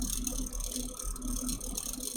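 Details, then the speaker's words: Custom PC with EK RGB case fans, EKWB watercooling, at power-on: quiet uneven buzzing rattle over fan hum; fan rattle, owner suspects a mounting screw slightly too tight. "And listen to the stupid fan. The only thing I can think is that the screw is slightly too tight. It's causing the fan to make that noise."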